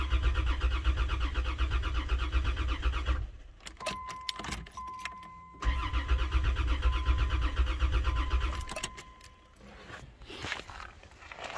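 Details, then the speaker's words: 1990 Dodge Grand Caravan LE after fuel rail rebuild and injector install, fuel at the rail: steady rhythmic cranking, a pause, more cranking, never catches; cranks but no start, rail later found leaking from loose bolts. "so a bunch of fuel yeah we've got no start"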